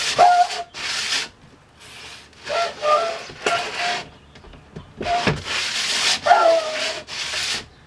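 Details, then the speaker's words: RV sliding window after spraying dry lube on the rubber seal and working it in and out: bursts of sliding with only soft rubbing hiss and no squeal; previous squealing gone. "As you can hear, that squealing is gone."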